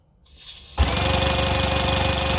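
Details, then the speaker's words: Classic Army HPA M132 airsoft microgun, after all air leaks were sealed, fired with no ammo: sharp start into a fast, even rattle of air shots through the barrel, stopping cleanly, no leak hiss. Normal firing cycle. "but you can hear it you can hear the air coming out of that firing through the barrel"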